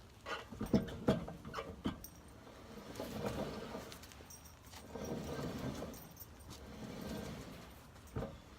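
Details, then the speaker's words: 2008 Nissan Armada on jack stands in neutral, tire spun by hand: rough grinding swelling and fading every second or two with some early clatter; grinding heard at 65 mph on the freeway, rear wheel bearing found bad. "now as far as the grinding noise listen to this so anyhow listen to this"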